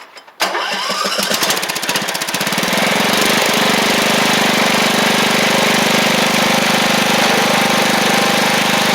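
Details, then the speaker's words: Troy-Bilt Pony 42X Powermore after the carburetor was fixed: fires after about two seconds of cranking without choke and settles into an even, steady run; starts and idles normally, with an occasional backfire and idle possibly needing adjustment. "like I I turned it over for like 2 seconds and it just kicked right on so and it runs great now"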